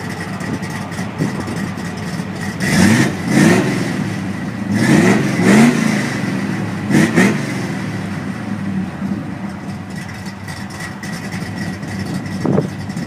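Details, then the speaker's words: 1973 VW, parked since the early 1980s: after reconnecting the vacuum advance it idles steadily, with quick throttle blips rising cleanly and dropping back without stumbling; oil pressure light off, running well. "Alright, she's running pretty good. I just had to hook my vacuum advance back up here and then it idled real well."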